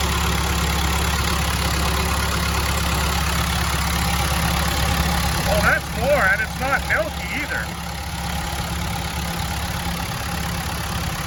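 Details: Telehandler diesel after cleaning the gunked lift pump, new fuel lines and bleeding air following stalling: holds a steady, even idle with a smooth low drone and a faint tick, no hunting or stumble; sounds healthy, fuel issue hopefully solved.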